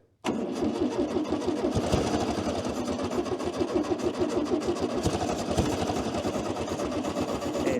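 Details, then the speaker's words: 1966 Volkswagen Beetle revived after over 10 years, start wire lost: catches right away then runs rough and lumpy, never settling, near stalling; owner suspects fuel blockage, fuel not coming through from the front. "well it goes sounds like it's got fuel blockage"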